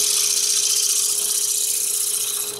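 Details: Spalted maple bowl, dried over 10 years and partly punky, on the lathe: smooth hiss of the tool cutting deep inside the bowl over a steady hum of the spinning bowl, no rattle or buzz; a clean, chatter-free cut.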